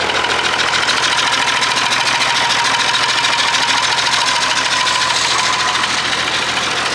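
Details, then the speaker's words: Perkins 6/354 six-cylinder diesel in a White Super Power truck, first run after many years: loud uneven running with hard tapping chuff about twice a second; rough running, owner suspects loose tappet or stuck valve chuffing. "I reckon there's a loose tappet or something the valve might be stuck because it's tapping and it's chuffing out the"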